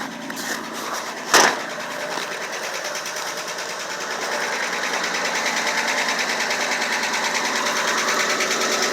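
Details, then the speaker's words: 4WD straight inline six with dual exhaust, 3 cylinders per side, cold start in 23°F with an oil leak: uneven pulsing chuff about twice a second at cold idle; owner says it's a misfire, not a tick. "That's not a tick, that's a misfire, and the belt is so cold, the belts on the vehicle are so cold that you don't hear a tick"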